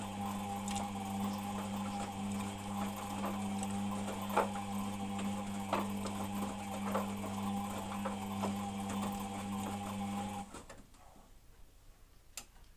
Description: If you listen carefully there's a bit of a grinding noise when the washer is turning. But it doesn't seem to do it when it spins